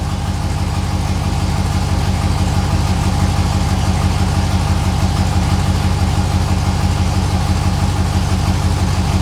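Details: 6.0L LS-swapped S10 with fuel system clogged by rust from the gas tank and sticking injectors: loud low idle with a steady pulsing rumble and slight uneven lope; still running rough at idle.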